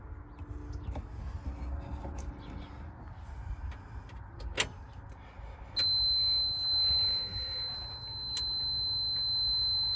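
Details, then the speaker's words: M923A1 5-ton military truck, running, after replacing a bad air brake low-pressure switch: shuffling, then steady high-pitched constant buzzer with red blinking light; low air pressure alarm active before tanks reach pressure. "So this is what the low air alarm sounds like. It's a red blinking light and obviously a constant buzzer."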